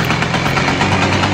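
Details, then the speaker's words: Simson S70 moped two-stroke after swapping old loud exhaust for S51 exhaust and replacing leaking, chipped carburetor: steady even fast burble, much quieter than before; normal running. "Các bạn thấy đó, âm thanh từ ống xả này êm hơn rất nhiều"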